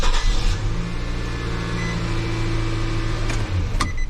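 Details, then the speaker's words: 2014 Nissan Frontier 2.5 L four-cylinder automatic 2WD started after spark plug and intake manifold gasket replacement: catches straight away, settles into low, steady, even idle with no stumble or misfire; normal idle. "let's start it nice in this mood no noise I mean no in July no misfire [Music] start right up excellent"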